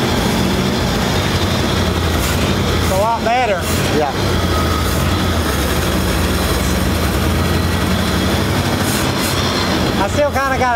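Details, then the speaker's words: 1957 Chevy Bel Air V8, sitting since 1985, running on a temporary fuel tank, cold: rough, uneven idle rumble with quick throttle blips; expected to idle better once warm, no smoke. "it ain't one idle but it'll warm up though sounds good yeah still no smoke"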